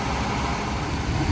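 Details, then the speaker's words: 1977 Chevrolet El Camino, 350 cubic-inch V8, before alternator test: deep, steady low rumble with even beat, no knocks or misses; idling smoothly, owner says purring, in good condition. "it's running very well right now as you can hear it's purring like a happy kitten it's running very well and in good"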